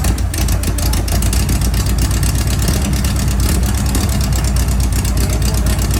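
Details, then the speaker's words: Air-cooled flat-four engine in Class 11 race bug, first start right after installation; loud, lumpy but steady idle with even deep beat, no knocks or rattles; sounds good, normal idle. "All right. It's 2 o'clock in the morning. We finally got it on. Sounds good."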